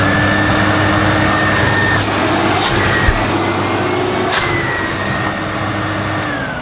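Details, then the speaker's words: Hoover Aquamaster vacuum cleaner bought secondhand from a charity shop, first test after plug-in: steady high motor whine at even pitch, winding down smoothly at switch-off with no grinding or rattle; sounds as it should, normal running. "That sounds as a Hoover Aquamaster should sound. Nothing wrong with that whatsoever."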